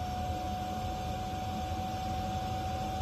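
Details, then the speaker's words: Diesel heater installed in a school bus conversion, just fired up: steady low rumble with a constant thin whistle. The heater is burning normally. "but this thing just fired up and that's a little bit of a relief that we can make some heat"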